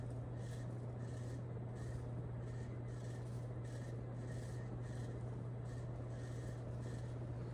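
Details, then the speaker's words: Nutone Veranda Deluxe 36-inch ceiling fan on low setting of a Nutone Skylark control; quiet steady hum with faint soft tick under twice a second; owner unsatisfied with low speed, plans running on high to clear noise, cause unclear. "I'm still not very satisfied with the lowest setting this has. I think I just have to run it on high for a little bit to get rid of that noise."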